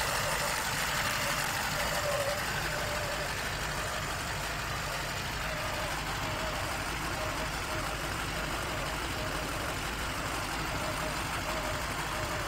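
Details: Lada Niva 1.7 after a no-start problem, now settled into an even, steady idle with no misses or knocks and running smoothly.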